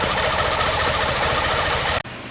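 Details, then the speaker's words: BMW K75 three-cylinder motorcycle test-started after fuel line replacement: brief smooth, even, regular idle, then shut off; no fuel leaks, everything sounds good, normal idle. "Alright, so no fuel leaks. Everything sounds good. I think we're good to go on this one."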